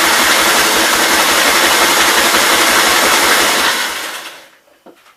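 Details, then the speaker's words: 1944 L tractor with magneto, primed with fuel: catches and runs fast and rough about four seconds, then fades and stalls instead of idling; owner suspects bad fuel problems or dirty magneto points, fires but will not idle. "Kind of trying. I may just have to pull this mag off and clean the points. Yeah, I don't know. It should have at least sat there and idle."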